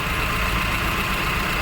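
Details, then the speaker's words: Honda Civic petrol engine idling steadily and evenly with no stumble or knocking after replacing the second ignition coil, which cured the misfire and vibration (DTC P0352/P0135) that had made it shake and stall over speed breakers. "मैंने in start किया और आप लोग देख सकते हो जो हमारा इंजन मिसिंग का प्रॉब्लम था वो सॉल्व हो गया"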